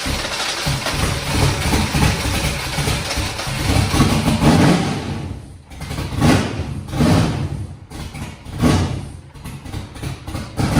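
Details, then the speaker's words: Foxbody Mustang 408 V8, Holley Terminator X wizard tune, first start after fuel pressure set: cranks and runs but revs sag and surge in waves, won't idle without feathering throttle; next step is manually cracking the throttle blade open. "The thing cranked on its own, ran, so that's good. It would not idle without me feathering the throttle or holding the throttle open just a little bit."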